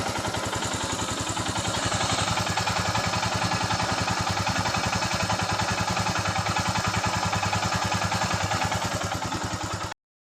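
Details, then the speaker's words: Royal Enfield Himalayan after rocker (tappet) adjustment for rocker noise: even single-cylinder thump about three and a half beats a second, steady and clean with no ticking; healthy idle. "तो अभी इसका sound हो गया ton टना"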